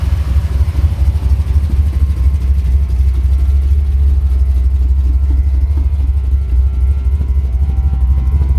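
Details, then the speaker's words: 1985 Dodge Ram D150 with 408 stroker V8, air grabber open: deep loping idle with an uneven lope around two beats per second, steady and not missing; just the big cam. "you sure hear that cam can't you"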